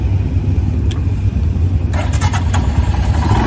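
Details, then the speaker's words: Stock Royal Enfield Himalayan single-cylinder, first start after sitting overnight, throttle blipped slightly: steady low thumping idle with even beat, no knocks or ticks; healthy cold idle. "This was the first time it was ridden since it sat overnight. I was the first rider of the day to demo it. And when you turn the key and you hit the throttle, it just idles."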